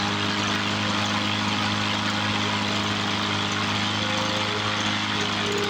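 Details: 1986 Toro push mower with a Suzuki two-stroke engine, unused for many years, being revived with fuel turned on: a steady buzzy two-stroke drone without misses or surging, so it sounds as a two-stroke should.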